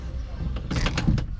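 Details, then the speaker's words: Steering column: hard clunks with a gritty rasp as the wheel turns; steering is harder. Owners suspect a failing bearing in the column near the wheel, not the coupler. Cause suspected, not confirmed. "No, it's in this column. Oh, what the hell? There's a bearing closer to the wheel that I think is taking a shit."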